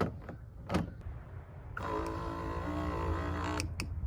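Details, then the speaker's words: 3rd-gen Toyota 4Runner/Hilux Surf transfer case actuator, tested after resealing, stuck-in-4Hi problem blamed on the big internal gear: small motor whirs steadily about two seconds then stops, with clicks; actuator motor runs normally. "stops it runs and then stops so it's not gonna run continuously"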